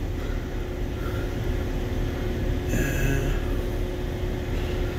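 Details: BMW (5/7 Series, N55-type) with overheating messages, fan running after warm-up. A steady, heavy low roar holds without easing off. The radiator fan runs continuously; the thermostat is suspected and fuses are being checked, not confirmed.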